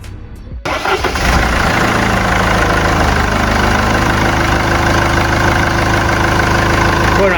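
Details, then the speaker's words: Mercedes C220 CDI W203 diesel with fault code 2359, power loss, black smoke and high fuel use, restarted after a hose and connector were refitted. It catches first turn into a steady, even idle clatter. Normal start. "start, it starts, that's a good sign and you can hear it well,"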